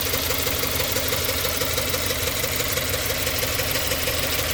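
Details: 2017 Subaru Forester XT shaking and surging at idle, uneven ~3/s pulse; codes P0300, P0303, P0017; new plugs, coils 1 and 3 checked, throttle, EGR, MAF, MAP cleaned, fuel cleaner, new air filter, no change.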